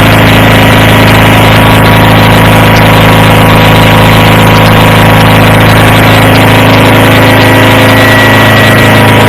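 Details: Approx. 1976 Sears GT18 tractor, Onan 18 HP, after carburetor cleaning and fuel pump rebuild, air cleaner off, choke off after a choked start. A loud, steady hum that settles slightly in speed near the end, no misses or knocks, normal idle.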